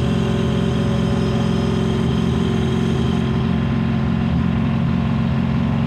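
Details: Ford 7.3 PowerStroke diesel floored at full throttle, blowing blue smoke: a loud diesel pulling hard with an uneven, stumbling beat in the low drone; misfire under acceleration.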